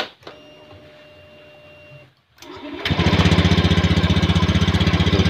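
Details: Honda Scoopy (ACG starter) scooter, weak-starter problem, after cleaning rust from the side-stand switch: quiet, brief crank, fires and settles into strong even beat, no drag or misses; starts readily.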